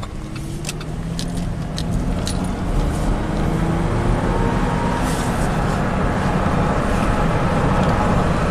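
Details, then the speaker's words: 2009 Chevy Traverse V6 GDI, 190,000 miles, test drive after an oil change: steady, even engine drone under road rumble with no clattering or stumble; VVT variance stays under two degrees. Earlier misfires on all cylinders and timing codes were traced to neglected oil. "nice and smooth as expected let's see the variance staying below you know two degrees no more clattering or chattering"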